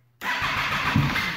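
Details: Triumph Daytona 675 rebuilt after a wreck, new fuel line and Power Commander fitted, in neutral after fuel pump prime: starter spins briskly over a second with weak catches but won't run; battery possibly low.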